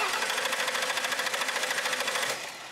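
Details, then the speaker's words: Ford Sable, cranks but won't start: quick, even cranking for over two seconds that never fires; pressure gauge at the rail shows no fuel pressure, failed in-tank fuel pump diagnosed and replaced. "got nothing we got no fuel pressure at all and he cranked it long enough that that pump would have recovered and fuel would have come up to the rail"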